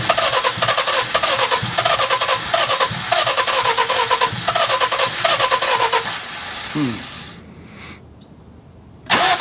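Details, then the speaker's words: Engine of a cheap car just reassembled, timing and valve lash set, first start attempt after rebuild: steady starter churning three to four beats a second for several seconds without catching; crank no start, owner suspects something not hooked up properly. "Oh well. A little less exciting than I expected. Makes me wonder if we don't have something hooked up properly."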